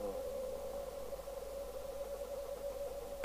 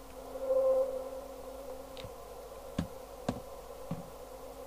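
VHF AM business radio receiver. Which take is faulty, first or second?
second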